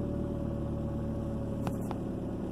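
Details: 2003 Ford Focus after fixing a #2 cylinder misfire (code P0302): quiet, steady idle hum with an even beat and no stumble or skip; engine now smooth and healthy.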